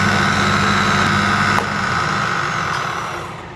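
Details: Thicknesser running with its top cover off: loud steady drone carrying a fixed mid-pitched buzz with a rough rattle underneath, the same sound as with the cover on; cause of the buzzing rattle unexplained.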